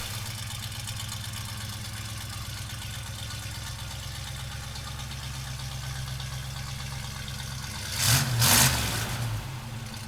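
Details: 1971 Chevrolet Blazer, frame-off rotisserie restored, 350 four-bolt-main V8: steady, even idle with a smooth lope and one quick blip near the end; sounds healthy and runs clean.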